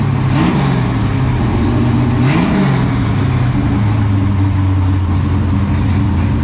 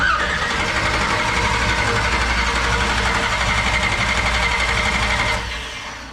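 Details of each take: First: 1969 Camaro restomod, 496 big block first started in the car with new exhaust, previously broken in on a run stand: deep, loud V8 burble with clean blips, then a steady lumpy idle; normal idle and revs. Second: 1969 Camaro with 496 big block, first start: steady starter cranking at about four turns a second for five seconds with no firing; carburetor still dry, fuel system still priming.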